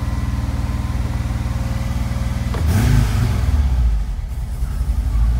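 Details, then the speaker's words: 1986–91 VW Vanagon Digifant: idle even for a few seconds then surges up and stays high, sometimes varying; faulty idle control module behind right rear taillight. "So here you can see the idle just goes up and it stays high, but you know what? Sometimes it'll even vary."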